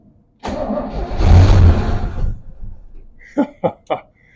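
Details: 1967 Chevy Bel Air wagon, sat 30+ years, first start attempt after cleaning and regapping plugs and filling the carburetor bowl: catches with a short rough burst, dies within two seconds, then three bangs; fires but won't run.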